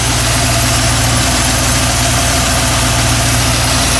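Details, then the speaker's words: Pontiac Grand Prix with LSX V8 on Holley Terminator X EFI, first start: steady low idle rumble with constant airy hiss; vacuum leak from a popped-off cap, which is why it wouldn't rev or idle at 850. "i have a vacuum leak where is it oh that's why she didn't want to rev that cap popped off that's why it wasn't idling at 850."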